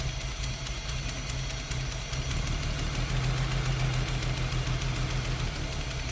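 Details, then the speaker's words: BMW E30 323i Baur, first start after 10 years sitting, fuel pump dead and tank needing a flush: starting fluid sprayed into throttle body, engine catches and runs rough, low lumpy stumbling idle. "So I know you all want to hear it run, so I've got a fresh can of starting fluid here. Got a new one this time, and I'm just going to fire it into that throttle body and just let it run for a little bit."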